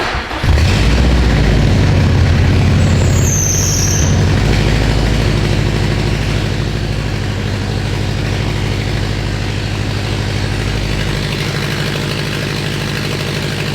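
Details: Subaru STI hatch with DW1200 injectors, first start after fuel-injector and coolant-hose leaks fixed: deep steady rumble with rough puffing edge, exhaust escaping from open O2 sensor port; running a little rich.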